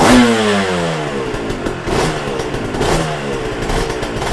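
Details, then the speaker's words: Yamaha TZR 250 3XV two-stroke twin, warmed up, exhaust headers 109 vs 82 and heads 60 vs 46: sharp throttle blips falling back to an uneven burble; carburation differs between cylinders, compression fine in both. "so there's definitely some difference between the carburation here and these bikes operate independent two independent engines running together in the same bike"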